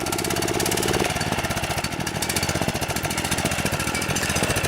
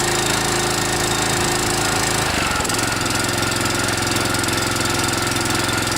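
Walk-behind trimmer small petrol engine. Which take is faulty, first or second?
first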